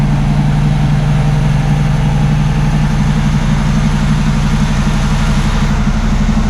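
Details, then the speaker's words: 1979 Camaro Z28 V8 after carburetor rebuild and tune-up with new plugs and wires: loud, even, deep rumble at steady idle with no misses, running on all eight cylinders. Normal idle. "like that y'all tuned up sounds like it's running on all eight"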